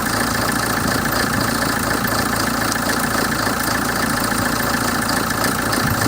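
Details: 2007 Hyundai Terracan CRDi diesel: clattery idle with an uneven, lumpy beat of about 3–4 pulses a second that never settles; rough idle fault, cause unclear.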